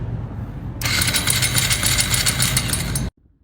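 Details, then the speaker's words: 2025 Honda Grom after a mechanic's faulty oil pump and upgraded clutch install left no oil pressure: in a parking lot, a harsh metallic clattering crank for about two seconds, no firing, then an abrupt stop. The engine seized from oil starvation. "my 2025 Honda Grom I had someone install an oil pump and my clutch my upgraded clutch and they messed up their instulation so my motor blew up cuz there's no oil pressure"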